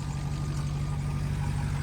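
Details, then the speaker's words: 2006 Ford F350 6.0L Power Stroke diesel idling right after replacing the VGT (turbo electronic wastegate) solenoid: steady deep even rumble with a belt squeal but no air hissing; the turbo problem seems fixed and the idle is normal. "I heard a belt squealing but I don't hear there's no air hissing holy cow did I fix it no way no way I think I might have fixed it"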